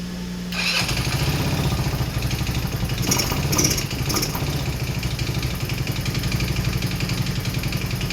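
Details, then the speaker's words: Rebuilt 150cc GY6 engine in a Blade 150 / RZR170 clone UTV, cold day, started with starting fluid and jump from truck: starter whirr into loud open-pipe beat, lumpy idle, running rough; exhaust off, some blow-by clearing up. "It runs, it runs. We're going to do the exhaust off, but it runs. Not too happy about it. It had some blow by, but it seems to be clearing up."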